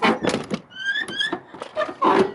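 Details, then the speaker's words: Car door hinge after cleaning: sharp rising squeak between dull door thunks, nearly quieted; dry hinge needing lubrication. "I'm putting a good amount of that on there and as you can tell that'll almost quiet it down"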